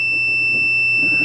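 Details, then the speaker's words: 3rd-gen Toyota 4Runner 4WD switch tested off-vehicle with multimeter continuity beeper: one unbroken high-pitched beep as the pin moves through its whole stroke, unlike the intermittent old switches; good switch, solid continuity. "so you can see this one makes continuity through the whole stroke of that pin"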